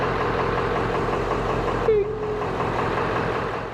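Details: 1996 Ford F350 7.3 Powerstroke diesel after replacing one bad glow plug: steady, even diesel rumble at idle, no misses or knocking, engine settles and runs smoothly; normal diesel idle.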